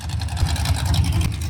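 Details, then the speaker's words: Budget SBC 350 on test stand, open headers after removing mufflers: lit right off, deep loping choppy cam idle (sounds like old Comp 280 cam), even without knocks; carburetor still needs work, oil leak found; normal cammed idle. "That lit right off. That sounds like the old comp 280 to me. Not bad. Yeah, it doesn't sound too bad."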